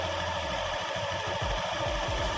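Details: Automatic scooter CVT with new V-belt, idling: even, smooth drone with no crackle or rasp from the belt drive; sounds healthy.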